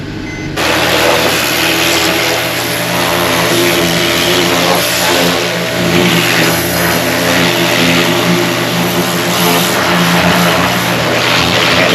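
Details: Mercedes E350 3.5L engine after new spark plugs and ignition coils were fitted: steady, even note swelling smoothly with each throttle blip and settling cleanly, no misfire stumble; running normally.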